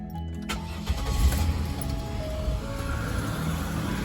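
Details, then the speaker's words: Car with dead battery (hazards left on) jump-started with Schumacher SL1519 1500 amp lithium jump starter: starter cranks briefly, engine catches and settles into steady idle, deeper hum as A/C loads it; starts fine. "it's a 1500 amp jump starter oh yeah we got plenty of power hear this air conditioners on everything"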